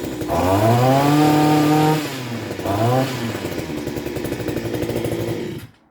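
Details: Mitox 28MT Select 25.4cc two-stroke petrol multi tool, just started with choke then choke off: revs up high and buzzy, then settles into a steady, even idle with no sputter; running healthy.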